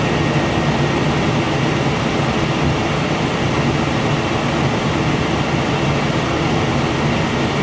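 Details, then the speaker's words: Heil furnace inducer keeps running with a steady, even fan roar and faint hum after the burners shut off, still drawing amps. This normal post-purge clears excess heat before the sequencer clicks off. "This is what we were looking for. We want the inducer to run for a little while after the burners kick off to get that excess heat out."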